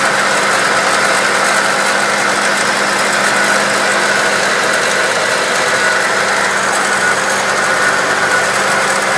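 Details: 1999 Acura Integra engine bay: a steady idle with a loose, fairly regular rattle on top, about three per second.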